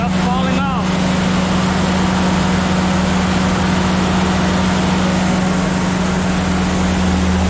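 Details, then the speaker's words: Willys Jeep engine, 50 psi oil pressure: loud uneven rumble surging and sagging, wanting to stall; runs eye-wateringly rich, rough idle, owner plans tuning and timing check. "Idles real funky, wants to die. Well alright then. It runs, and it runs eye wateringly rich, just oof."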